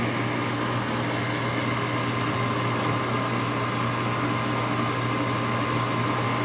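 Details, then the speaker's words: GE Potscrubber 970 dishwasher at the start of a cycle, fed from a cold water hose because no hot water was available, with a wattmeter attached: an even, low wash-motor hum with water swishing and no grinding or rattles. Running normally. "sounds nice though sounds like a ge dishwasher to me"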